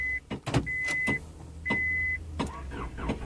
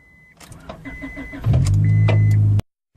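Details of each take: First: 2000 Honda Accord no-crank no-start with low battery and new negative terminal: repeated clicks and short cranking bursts with beeps, nearly starting while someone taps the starter; failing starter motor. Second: 2000 Honda Accord after starter replacement, run on old battery with booster pack: door chimes and clicks, quick crank catches cleanly into steady, even idle before being shut off; normal start.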